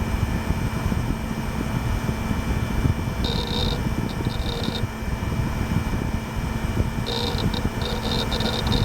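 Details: Gateway LP Mini Tower KAD K7-700 (AMD Athlon 700 MHz): steady fan rush with faint constant hum and brief clusters of soft hard drive seek chatter. Drive and fans running normally.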